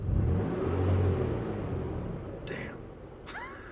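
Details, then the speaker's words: 1998 Toyota Tacoma 3.4L V6, 300,000 miles, idling after AMSOIL engine flush and oil change: low, even rumble with no knocking or ticking, smooth and quiet; owner says it was very loud before and now everything is smoother. "It's a different It's It's Everything's different. Everything's smoother. I'm happy."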